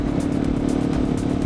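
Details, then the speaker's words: KTM motorcycle while riding at dusk: steady reedy harmonica-like squeal over road and engine noise, persisting with engine off; rider suspects rear wheel or exhaust, something vibrating very fast; dry rubber rear axle bearing seals needing grease. "I think it might be the rear wheel. I reckon something plastic or metal is vibrating very fast. It's making that weird, kind of like a harmonica. I don't know how to describe it, but it's really annoying."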